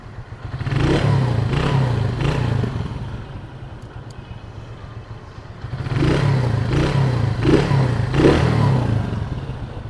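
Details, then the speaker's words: Honda Win 100 (Indonesian) single-cylinder motorcycle with a fully rebuilt engine, original head, and a dead battery. A low putter rises cleanly through two rev-ups and settles back each time; it runs smoothly and responds well, which is normal. "Ok thì bây giờ em cho anh chị nghe cái tiếng máy của tiến bộ của nó nè xe này cái cục máy cực kỳ ấm luôn máy rất là êm nha Nguyên 100 mà cái độ êm nó như vậy là quá chuẩn rồi"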